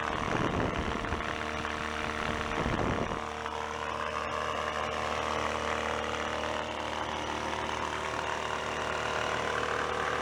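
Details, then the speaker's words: Older salvaged factory air compressor, first run after rod knock repair with spare parts, expected to shut off around 120 psi: steady, even pump drone with smooth hum, no knocking or rattle once running; sounds pretty good, normal running. "We should start. Shall we? Sounds pretty good."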